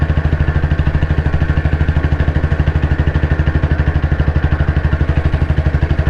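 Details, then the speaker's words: Royal Enfield CI Bullet 350, 2009 build, after engine work, climbing a slope in top gear at very slow speed on constant throttle: deep, even thumping holds steady under load at low revs; normal engine pulling under load. "ഈ കയറ്റം ഇതേമാതിരി ഈ സ്പീഡിൽ തന്നെ top ഗിയറിൽ കയറാൻ വളരെ സ്ലോയിലാണ് വണ്ടി എടുത്തത്. ആ ഒരു സ്പീഡിൽ തന്നെ കയറി പോകുന്നുണ്ടോ എന്നുള്ളതാണ്. ഞാൻ സ്പീഡ് കൂട്ടുന്നില്ല, സെയിം ആക്സിലേഷനാണ് പിടിച്ചേക്കുന്നത്."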